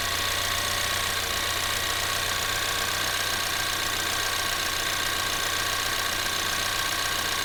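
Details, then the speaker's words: 2024 Ford Maverick XL AWD 2.0L EcoBoost, warm idle after start: a smooth, even hum with a light steady tick and no knocks or misses. Normal warm idle. "all right in this video I'm going to go ahead and demonstrate how the normal engine sounds should be for the Ford Maverick EcoBoost"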